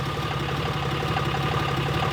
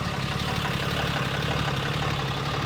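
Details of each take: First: 4th gen 6.7L Cummins after Airdog 165 lift pump install, once fuel flow to injectors restored; steady, even idle clatter with low constant rumble, no stumbles, sounds healthy. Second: 4th gen 6.7L Cummins, first start after Airdog 165 lift pump install bypassing stock fuel filters; uneven loping idle clatter, owner suspects fuel not yet circulated; no leaks seen.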